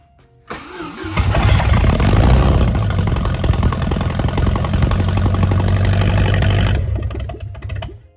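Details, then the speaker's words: Bayliner boat's Mercruiser engine, first start after a head gasket job, with the spark plug leads corrected: it cranks briefly, catches right away and settles into an even, steady beat of about four per second before shutting off; normal start and run. "She runs."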